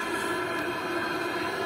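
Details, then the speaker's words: Lavaner 12V 5kW diesel water heater running at full output, water already about 50-60°C: steady rushing hiss and low hum, noticeable air-intake noise and slight internal fan noise; running normally, not obnoxiously loud. "not obnoxiously loud there is quite a bit of noise coming from the air intake down here that's probably what you can hear on the on on the camera um some slight noise from the fan itself inside the heater but nothing nothing crazy"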